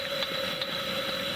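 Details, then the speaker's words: Coleman Handy Gas Plant head (ex-457G) on a 413 stove tank and generator, opened fully to 35,000 BTU: steady hissing roar near 600 Hz with faint pops, even burn; normal full output. "and uh you can see that that's the uh that's the full 35 000 BTU right there"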